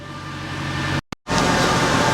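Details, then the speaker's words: Mercedes C63 AMG V8 at idle after suspension refit, partly warm (not a true cold start), completely standard exhaust yet insanely loud; deep, steady rumble with an even beat, no knocks or misses; normal idle. "I hope that comes across just how insanely loud this car is. I mean, underneath, it's completely standard. There's nothing been done to the exhaust."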